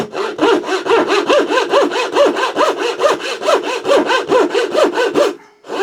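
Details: Thin turning saw blade after resharpening, curve cuts in wood: steady back-and-forth rasp about two strokes a second, cutting cleanly.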